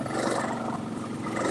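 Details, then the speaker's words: Four-wheeler carrying a hay bale in the back, in second gear: low, rough, growling engine note stays bogged down and won't pick up, lugging in too high a gear under the load. "four-wheeler does not like to go in second gear with this hay bale in the back"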